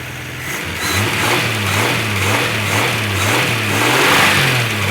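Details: First start after head gasket, reconditioned head, water pump and hoses replaced: revs rise and fall smoothly over steady idle, no knocks or ticks; runs, nothing sounds terrible though earlier rough.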